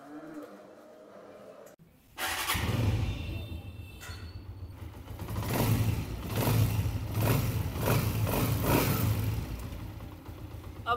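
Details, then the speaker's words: Honda CG 125 after tappet adjustment to 0.08 mm feeler gauge, cover refitted: starts after a couple of cranks, even beat through blips with no ticking from the head; normal running, tappet noise gone. "अभी टपस की आवाज जो है वह बिल्कुल भी नहीं है और अगर आप इसी तरह सेटिंग करते हैं तो इंशाल्लाह ताला आपकी बाइक गर्म होने के बाद भी टपट की आवाज नहीं करेगी"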